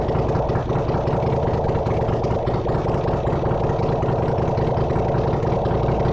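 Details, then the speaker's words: Honda CX500 engine on a bench test rig, no exhaust, no coolant, no oil filter, already getting warm: steady, even idle with a consistent low thrum, no knocks or misses; runs well. "But it runs actually. It runs pretty good. So, if you're looking for an engine that runs, I got one for you right here."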